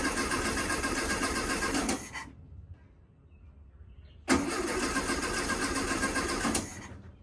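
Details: 1969 VW Beetle air-cooled flat-four, first start in 33 years after cleaning points and rebuilding carburetor with makeshift fuel tank: runs briefly, dies for about two seconds, then catches and holds a steady idle.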